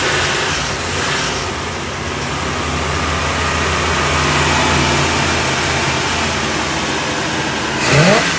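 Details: 1975 Chevrolet Monza with 350 V8, started after fuel was added to the empty carburetor bowls: catches and settles into a lumpy idle, then revs up and drops back cleanly; normal start and rev.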